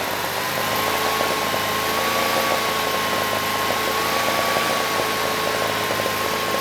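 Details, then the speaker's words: Generac standby generator (model 0058751), 999cc engine (0J9333) with reported low oil pressure shutdown, gauge reads 50 PSI, oil was low: even steady drone with faint wavering whine, no knocks or misses; idle set screw maxed out; normal running. "All right, that sounded pretty good."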